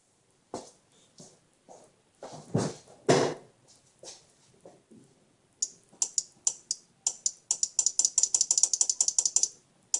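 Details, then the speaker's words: Nissan S13 240SX non-working horn, after a temporary jumper wire was added: the horn relay now clicks, in sharp dry bursts speeding to a rapid rattle as the button is tapped, but no horn tone; horns to be tested next on direct 12 volts. "You could definitely hear the relay clicking now, which was not clicking before. But I'm still not getting any sound out of these horns."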